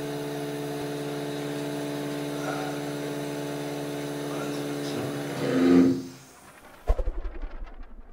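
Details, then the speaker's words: Osminion Slim Mix water filter with about 4 bar line pressure: after the supply valve is reopened following a low-water fault, a steady, even pump hum with faint whir, no surging or sputtering, before winding down; running normally. "Je rouvre maintenant la vanne d'alimentation et le bruit de fond revient à la normale."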